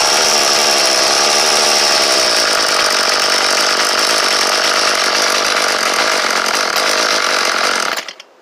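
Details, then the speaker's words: Troy-Bilt leaf-blower 32cc two-stroke, new fuel line and primer bulb, test run for motorized bike: steady high-pitched buzz held at full throttle, even for eight seconds before cutting off; runs strong. "Yeah, that sounds about right."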